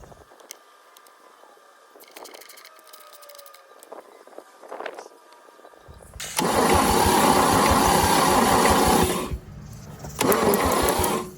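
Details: 1950 Chevy 3100 truck inline six: the starter spins the engine steadily for about three seconds, pauses, then cranks again without firing, and compression feels weak. Crank, no start, no spark.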